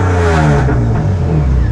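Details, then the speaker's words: Widebody right-hand-drive BMW E36 on individual throttle bodies, no MAF, alpha-N re-tune, after tightening: sharp throttle blip with revs climbing quickly and dropping back cleanly, no stumble or misfire; normal revving. "Sounds absolutely fantastic."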